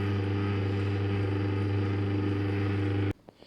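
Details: A dishwasher hums with a loud, steady, fixed-pitch drone that cuts out abruptly. The humming comes and goes; the owner suspects something near the top, after finding the spray arms unobstructed. Loud humming.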